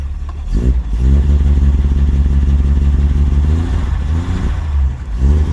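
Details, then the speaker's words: 1948 Chevy Fleetline 2-door sedan, not in gear: deep, even engine note climbs smoothly with each throttle blip and settles back cleanly, oil pressure rising as it is gassed, charging good; normal revving. "Oil pressure is good. Going up as you gas it."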